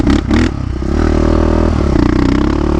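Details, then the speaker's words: Yamaha Raptor 660 ATV with Lex exhaust after transmission replacement, riding: single-cylinder rasps unevenly off idle, burping with a brief stumble and pop before picking up revs; hesitation down low, owner will sort it out. "you know it's got a little bit of a hesitation down low it doesn't have I really like Snappy throttles you hear it burping a little bit"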